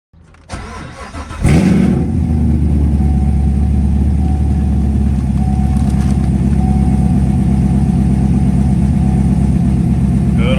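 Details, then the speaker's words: C7 Corvette after cam replacement following failed cheap eBay lifters, first start after sitting, battery jumped; brief crank, clean catch, steady even fast idle, good oil pressure, no lights, no ticking or knocking; normal cold start. "oil pressure, no lights. See how it sounds. Sounds good."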